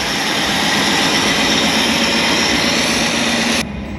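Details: 1965 Ford Galaxie 500 project car, newly revived: a steady, even V8 roar holds a constant speed with no knocks or misses. The engine sounds healthy and smooth.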